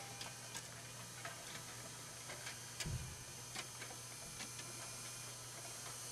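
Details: Rock-Ola 424 jukebox record changer in scan mode: steady clicking roughly every third of a second under a low hum; magazine scanning too slowly, faulty home switch to blame.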